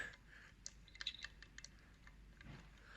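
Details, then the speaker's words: 1.9 TDI PD105 turbo removed from a VW-group engine, rocked by hand with no engine running: a few light dry clicks from excessive shaft play on the intake side while the exhaust side is solid; worn turbo, being replaced. "don't know if you can hear that, got a lot of play in it, so it snaps the actual impeller shaft. Time to put a new one in."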